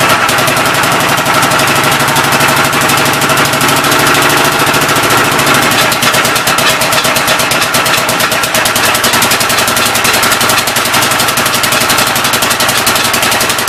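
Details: Old engine's first start attempt on a temporary coil ignition: hit-and-miss firing with a raspy, hissing puff in each beat over loud belt clatter. The intake valve appears to be leaking but is not hanging open; the owner plans to pull the head and lap the valves.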